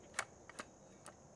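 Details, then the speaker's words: Milwaukee M18 Fuel circular saw (2834-20), quiet room: three sharp, distinct clicks about half a second apart as the bevel snaps into its aggressive positive stops; detents working properly, normal. "you can hear that thing clicking in so really good job on that"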